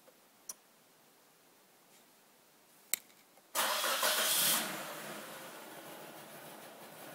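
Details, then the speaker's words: 1993 Nissan Sentra 1.6 cold start after cleaning the idle air control valve; two clicks, then it catches and flares before settling to an unsteady rough idle, worse than before cleaning. Cause suspected, not confirmed. "it was idling better before I cleaned it and um it has a rough idle now"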